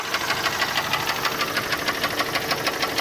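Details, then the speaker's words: Chrysler PT Cruiser at idle, at a standstill: sharp regular knocking about three per second, a loud hollow tap from deep in the engine, likely bottom end; oil found low but judged not enough to cause it; engine knock. "Oh low but not enough to cause that knocking noise"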